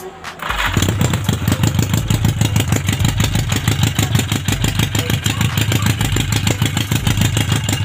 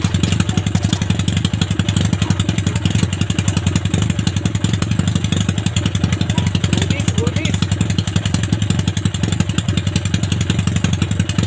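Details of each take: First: Yamaha Maxim XJ750 on its first run after an engine rebuild, ignition bypass, carb overhaul and new spark plugs, open headers with no muffler. Loud, uneven, lumpy idle; running rich, using fuel fast with black exhaust smoke; owner plans to refit the stock carb parts. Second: Yamaha Maxim XJ750 four-cylinder on its first run after rebuild, carb overhaul and ignition bypass: even, quick exhaust pulses at a steady fast idle with no misses or knocks. Normal running.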